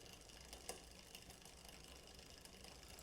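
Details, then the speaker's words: 1989 Cannondale Red Shred MTB rear derailleur never serviced, quiet drivetrain with light irregular ticking as chain runs off smallest sprocket; high limit screw set too far out, needs turning in. "So, this high limit screw needs to go in because it's running off this bottom sprocket"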